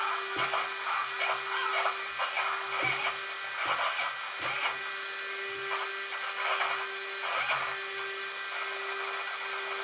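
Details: Traxxas Maxx RC truck after fitting GPM steering bellcrank and servo saver, after second battery pack: short repeated buzzy whirs with steady high whine when steering; servo loose when off. Owner suspects servo about to fail.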